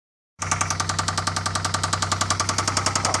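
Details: 2002 Pontiac Bonneville SE 3800 V6 at idle: rapid steady knocking tapping sharply over a low even hum; slight rod knock suspected, not confirmed.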